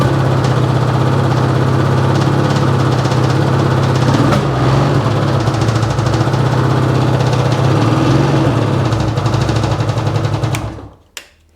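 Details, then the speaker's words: 2010 Ski-Doo Rev XP 800R carbureted snowmobile: heavy, lumpy idle with an uneven beat about four times a second, running on only one cylinder. "oh yeah something going on ah had to check key definitely only running on one cylinder"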